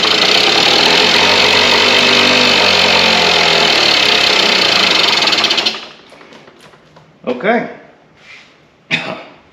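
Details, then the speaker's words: Rare Kawasaki KD80X mini bike, first start-up check: high raspy two-stroke buzz holding steady fast idle several seconds, then shut off; starts easily on kick and runs fine. "she does run all right well next move that's great all right doesn't seem to take a lot to kick it over"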